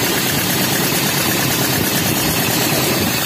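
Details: Toyota Kijang Super, hard to start and misfiring after once running out of radiator coolant: rough, shaking idle with a hissing chuff of escaping compression. Teardown found a porous cylinder head and pistons worn from overheating.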